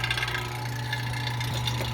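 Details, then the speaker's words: Chevy Equinox at idle after engine replacement: steady even low hum, no knocks or rattles, runs smoothly; remaining check engine light is from leftover turbo plugs, not the engine. "As far as now, it don't belong on this car. Everything runs pretty good. We're done."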